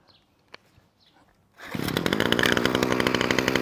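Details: Titan strimmer multi-tool two-stroke started on choke: quiet pull then ragged, uneven buzz wavering and struggling to hold revs; bogs and won't stay running.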